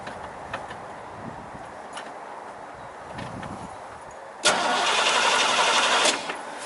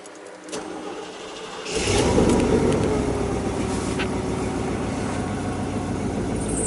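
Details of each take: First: Chevy 5.0 V8 with a low-power complaint, now a crank no-start: even cranking for about 1.5 s without firing. Spark confirmed and fuel pump heard priming, but the rail gauge shows no fuel pressure; tank must come off. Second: 1996 Chevy K1500 4WD 5.0 V8, running after a no-start traced to an empty tank and a faulty Schrader valve on the fuel rail: it catches after about two seconds and settles to a steady, even idle. Normal running; cam retard reads about -41.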